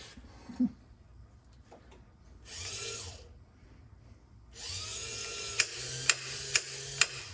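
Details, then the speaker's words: Power antenna motor from 1965-66 Thunderbird / 1961-64 Cadillac, bench-run during reassembly: even whirring in two runs with sharp clicks near the end as the clutch slips at full travel, protecting the antenna; motor and clutch normal. "And that tells you when it's done, when you hear that clicking. And so that clutches it out. That allows the motor to keep running, but not to pull the antenna down anymore, so it doesn't break it."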